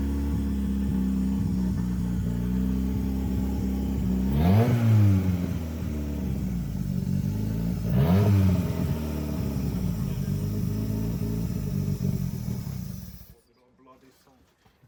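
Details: CA18DET-swapped JDM Mazda Miata: uneven lumpy idle with two quick throttle blips, struggling to hold revs before dying; rough idle.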